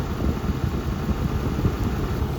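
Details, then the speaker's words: 2012 Ford 6.7 diesel truck at first start after alternator replacement and EGR valve and filter cleaning: steady, even idle with smooth low rumble, no squeal, knock or belt chirp; belt moving well, normal idle. "Oh, what the fuck? It sounds fine. The belt's moving good."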